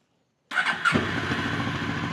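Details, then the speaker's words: Cheap Honda twin motorcycle after a carburettor strip and rebuild plus idle adjustment to cure over-revving: a quick crank, it catches at once and settles into a steady, even idle with no hunting or surging, running healthy. "Oh, that sounds great. That sounds really good. Oh, fantastic. Great stuff. It sounds amazing."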